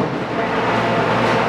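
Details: Leblond 19.5 x 105 Servo Shift engine lathe, limited use, spindle running at 725 rpm: steady, even hum with a smooth mid-pitched whir and no knocks or rattles. Spindle running normally.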